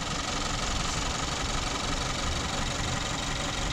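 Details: 2014 Kia Forte, P0301 cylinder 1 misfire, check engine light, shaking: uneven stumbling idle with dull irregular thump about three times a second; hard misfire at idle.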